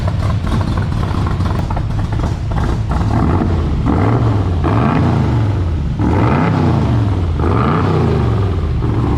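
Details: International rat rod truck V8, warm, with gas pooled near the carburetor before a rebuild: uneven, loping idle that surges and sags every second or two with some clatter; the carburetor needs cleaning badly.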